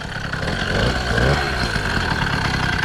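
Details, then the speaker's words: Home-built motorized bicycle ("The Black Duck"), just after first start: small two-stroke idles with a dull, thick, muffled, tractor-like burble and slight blip, lacking the crisp ring-ding; owners suspect the different engine, cause unclear. "Sounds weird though. What the fuck? It sounds muffled. Yeah. It almost sounds like a tractor, bro."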